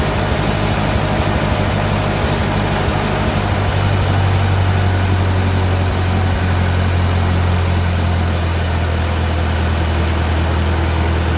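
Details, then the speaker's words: 1945 Ford 2N loader tractor after rewiring: starts and holds a low, even idle thrum with steady beat, no misses or knocks, oil pressure about 10, charging; normal idle. "Well, it started up. It's sort of got oil pressure 10. Oh boy. And it's charging. So, all seems to be okay."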